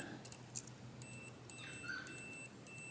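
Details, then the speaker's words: 1968 Harley-Davidson generator Shovelhead ignition points: multimeter gives repeated steady continuity beeps about half a second each on a points arm that should be isolated; short to earth, something touching. "So, it shouldn't have a connection now. You fucking dog can't, does. So, there's something going on between all this jargon that's doing that."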